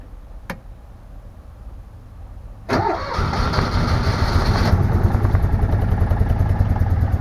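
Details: Citroën Méhari engine restarted after sealing leaking exhaust line with new gaskets; quick crank catches at once, settles into even steady low idle with no puffing or ticking; healthy start.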